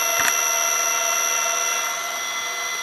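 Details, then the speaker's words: Funai FHC-1200 4-head hi-fi stereo VCR, forward-searching from SLP: a thin, steady high-pitched whine with fixed tones over faint mechanical hiss. The motor squeals or whines, and the owner suspects it needs lubrication. "It's making that high-pitched squealing or whining noise. It definitely does need to be lubricated. I think that's the problem."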